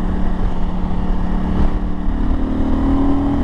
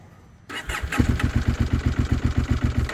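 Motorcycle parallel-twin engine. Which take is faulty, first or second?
second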